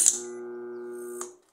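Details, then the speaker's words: Microwave oven powered on for repair: steady low electrical hum for about a second, then cut off, while the turntable does not rotate; a faulty or shorted switch is suspected, not confirmed. "barulho é de microondas ligado pessoal tá um barulho de microondas que tá ligado só que vocês perceberam quando eu liguei ele aqui não girou aqui ó ele tem que girar isso aí certo"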